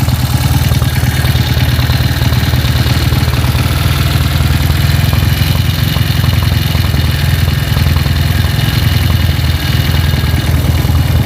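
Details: Honda CB motorcycle with a stroked-up engine, before teardown: rough, uneven clatter over a heavy shaking rumble at idle. The bike vibrates badly, with camshaft clatter in the cylinder head from a badly loose, worn camshaft.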